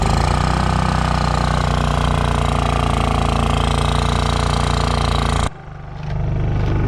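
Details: Honda EU3000is inverter generator after carburetor cleaning (previously ran only on choke): steady, even drone without hunting or surging, then clean shutoff; normal idle.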